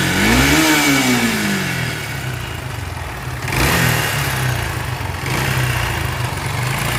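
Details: Bajaj Pulsar AS 150cc engine revs and settles with a coarse gritty rasp, like a mixer machine rubbing as if about to stop; rubbing when clutch pulled; teardown found jammed bearing and clutch assembly needing replacement; worn bottom end, scored piston.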